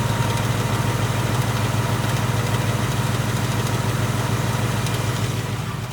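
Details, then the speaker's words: 2018 Ford Mustang GT, third-gen Coyote V8 with about 6,000 miles and on its third short block: deep steady idle with a faint quick tick, the "Coyote/BBQ tick". Teardown of an earlier engine found excessive piston slap and cylinder wall damage. "I have this tick. I have the coyote tick, the barbecue tick, whatever you want to call it."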